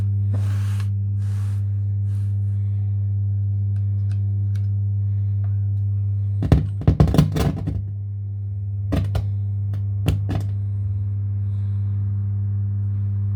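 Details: Mackie CR4 Creative Reference multimedia monitors: a steady low hum with a buzz on top, unchanged throughout, plus a few handling thumps; speaker buzz.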